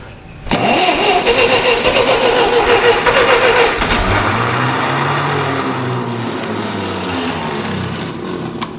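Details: Ferguson TEA20 tractor with rebuilt engine after sitting 10-20 years in a barn, with choke and some throttle: starter churns about 3.5 beats a second, slows to a labouring chug, never runs; carb still unadjusted.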